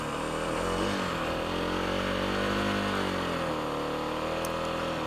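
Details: Kawasaki KLX300 idling after its tank was siphoned and refilled with fresh gas; uneven single-cylinder idle with a wandering beat and pitch that sags and recovers, still rough. Owner suspects an obstructed fuel tank breather vent; not confirmed.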